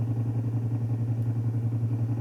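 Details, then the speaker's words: Hi-fi amplifier driven with a 0.5 Hz tone at about 200 W into 8 ohms, drive pushed to the supply-ripple crest: a steady low buzzing hum with a fast even pulse, as 120 Hz ripple leaks through while the output transistor saturates. "Veja, ó, nesse momento começa o ruído, ó. Se eu baixar um pouquinho, então aqui eu exagerei, tá?"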